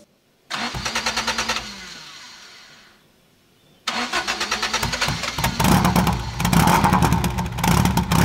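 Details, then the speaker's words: 1975 Toyota Corolla KE35 with 99-octane fuel, engine catches after two cranks then idle surges up and down; owner suspects air-fuel issue, likely vacuum hoses, not confirmed. "this is idling you can see it's sort of trying to seek it's very like up down up down um and because of that I'm thinking it's air I think it's air fuel"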